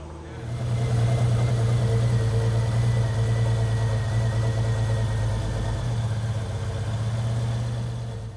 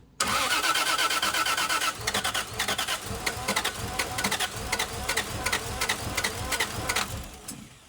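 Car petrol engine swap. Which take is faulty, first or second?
second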